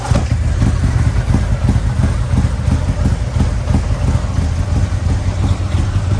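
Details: 2020 Harley-Davidson Road Glide, fresh 130-inch T-Man Performance stage four engine on a dyno pull after warm-up (result about 155 ft-lb torque, almost 153 hp): deep, even pounding V-twin rumble pulling hard, no knocks or misses; normal running under load.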